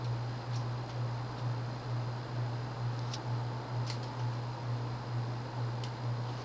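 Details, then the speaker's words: 1990s Quorum Gallery 60 60" ceiling fan, model 350605-33, 188x20mm motor, shallow 11.5° blade pitch, possibly warped blades, on medium: steady hum with a soft blade whoosh, no knocks or wobble, running surprisingly fast for medium. Owner thinks it relies on speed rather than pitch. "Let's go to medium. This is actually pretty fast for a medium."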